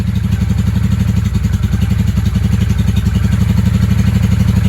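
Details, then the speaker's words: 1995 Honda Shadow VLX 600 (VT600CD) V-twin, dug out after sitting: uneven pulsing about four beats a second, kept running only by throttle blips, won't idle; tested with air filter off, owner suspects too much air, carb air-fuel adjustment possibly needed. "she acts like she really needs the fuel what what okay let's bring her back to choke [Music] all right so to keep her running I have to give her gas"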